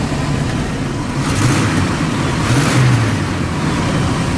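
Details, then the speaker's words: Vintage RV being tested while stationary: engine rev rises with uneven pops and a stumble, backfiring out the tailpipe on acceleration with hesitation; worn belt suspected as needing replacement, cause not yet found. "look at a little bit of that a little bit of a what called backfire definitely a hesitation"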